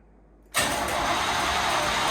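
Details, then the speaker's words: 1989 Chevy Camaro IROC-Z, 305 TPI LB9 V8, long-sitting non-running project car, starter just reinstalled; starter spins engine steadily for a couple seconds, never catches or fires; cranks but no start, fuel pump suspected. "but she cranks but does not start"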